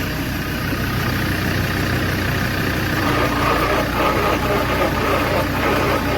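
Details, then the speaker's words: 1969 Daimler Sovereign Series 1 (Jaguar XJ6), not started in 18 years, cranking briskly and evenly with no binding once power from a running jeep is added to the tiny battery on the stiff engine. "let's roll the jeep back in for a sec and put running power on it and see how fast it cranks over let's see how fast it turns over now"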